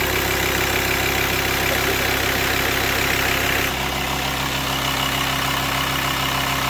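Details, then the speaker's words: VW T5 long-wheelbase van, 2.5 BNZ diesel, first start after replacing camshaft and tappets plus all filters and oils: steady, even diesel clatter at idle, much quieter, no knocks or ticking; normal idle. "And now it's the first attempt of starting it. Let's see what it happens. Much quieter."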